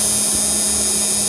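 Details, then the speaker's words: Repaired TIG/GTAW inverter welder that previously produced no arc and cut out after a brief crackle, now reassembled in its casing with the torch switch jumpered; steady high-pitched high-voltage buzz and hiss holds, arc start sustained and normal. "Oke Di sana sudah kedengeran suara high voltage-nya teman lihat di bawah itu ya udah gsur udah nyala itu"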